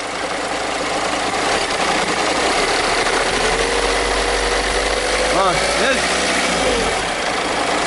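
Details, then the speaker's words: Idling engine with a loose, uneven rattle from the front belt area that comes and goes; alternator decoupler pulley (aluminium with rubber centre) broken and loose, wobbling side to side; fix is replacing the pulley. "عندنا الكهرباء هذه، عندنا السيراميك هذه فيها حس نتاع حاجه كانها تلحي، فيها حاجه مكسره."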